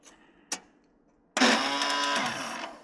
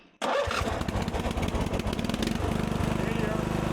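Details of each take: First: 1997 Murray riding mower, roughly 30-year-old starter that intermittently fails to catch: a click, then a high free-spinning whir for about a second and a half, engine never turns over; owner suspects a worn starter spring. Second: 1997 Murray riding mower after starter repair, shield and bolts refitted: starter spins a couple of seconds, engine catches and settles into a steady, even run; starter now working properly, normal start and run.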